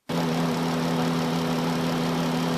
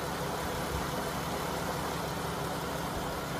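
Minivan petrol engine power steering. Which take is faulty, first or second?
first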